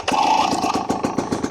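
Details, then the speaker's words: 2024 Husqvarna TE250 TBI two-stroke dirt bike, second cold startup after sitting a while, at almost 5,000 ft elevation: catches quickly, settles into brisk even popping, much better than the first start; normal. "That second startup, and you guys can hear it, it's a lot better than the first one."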